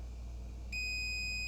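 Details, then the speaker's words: Generac GP7500e generator that produces no power: a continuity beep between slip ring and winding midpoint cuts in only when the probe is moved, suggesting an intermittent open in the rotor winding. "we get a connection. But only if I move the probe."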